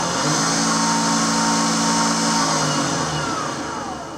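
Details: Refurbished Hobby 818 lathe on its stand, 24 V supply, motor started and speed control varied from very slow to maximum rpm: smooth steady motor hum with a clean tone shifting with speed, no knocks or grinding; normal running.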